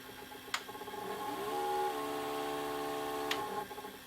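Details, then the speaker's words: Panasonic PV-4361 VHS hi-fi VCR with a shaking picture, in reverse search: irregular clicking about three or four a second over a faint motor hum. Owner suspects the drive, possibly a missing phase. "oh it works it just makes that just makes that clicking sound I have a feeling it's to do with the drive"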